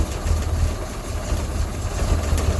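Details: 1958 Mack B-21 fire truck, 1091ci Hall-Scott engine, first start after 30 years sitting, fed from a fuel can: low, uneven lumpy rumble surging as it catches; running rough before it settles.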